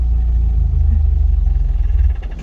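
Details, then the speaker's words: Old Toyota pickup after a Walbro 255 fuel pump install: a deep, even engine rumble runs for about two seconds, then the pulses slow and fade as the engine stalls. The cause isn't clear. "uh-oh, that's not good. She just died."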